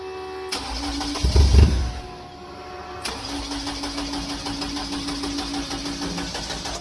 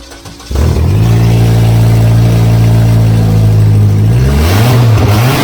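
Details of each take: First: Beetle cranking after injector grounds were redone: starter spins in an even chugging rhythm but it never fires, a crank-no-start with no injector fuel and the fuel pump relay not switching; owner suspects low battery voltage. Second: VW Beetle with the fuel pump switched on catches after a short crank, settles into a steady even run, then revs up and down cleanly. It now runs reliably after the no-start; the alternator and throttle work, but the brakes need bleeding.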